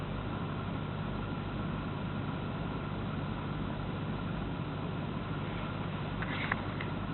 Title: Alpina misfire.MOV